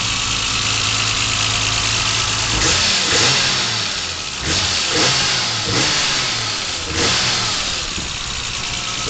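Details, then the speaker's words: BMW M635 engine, very original, no oil leaks, heard at the rear: crisp throttle blips climb quickly and fall back cleanly to steady idle, cam sound audible; engine revs freely and healthy. "do also that blip come around and see if we can't uh hear that beautiful M sound coming out of the rear here let's get around up here uh what a great sound"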